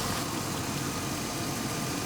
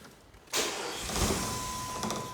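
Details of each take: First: Old Jeep idling after the alternator harness was spliced back in and it began charging off the PCM: a smooth, even low idle with no surging. It had earlier idled down suddenly for an unknown reason. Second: Old Jeep just bought, after a short drive where it shifted well: cranks, catches, runs a few seconds, misses and dies; fuel starvation, tank empty.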